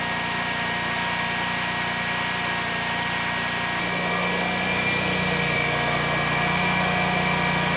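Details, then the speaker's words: Generac XG10000E generator, about 10 years old with 12 minutes of run time, fuel left in the carburetor, running after carb work: drone dips and shifts pitch now and then. Engine stumbles intermittently; carb issues suspected, with THD rising as speed fluctuates. "all right so far so good although the engine I do hear it stumbling once in a while so I'm thinking we do still have some carb issues"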